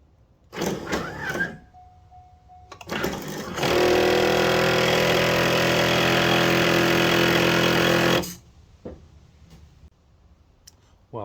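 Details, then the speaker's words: C5 Corvette right pop-up headlight lowering: a harsh grinding for about four seconds, chattering roughly four times a second as soon as the headlight goes down; the motor gear is stripped, to be fixed with a replacement gear kit. "I'm going to be changing out the motor gear, the headlight gear, when it comes to the right headlight. It makes a grinding noise as soon as you put the headlight down."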